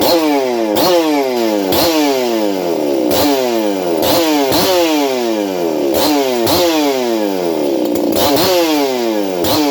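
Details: Ported experimental Shindaiwa 492 chainsaw on bench test run with stock air filter: crisp two-stroke climbing hard to a high scream, then dropping back, about seven clean blips, no bogging or sputter; saw runs healthy.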